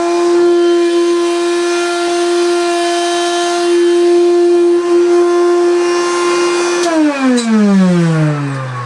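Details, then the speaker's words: 1970s Hoover Constellation vacuum after a month of use: loud, harsh, steady whine, then pitch sinking as the motor spins down; motor sounds worse than before, has made a loud calamity with carbon dust when tilted, rough and unhealthy. "it sounds a lot worse now than it did before and if I can it may not do it now but if I pick it up"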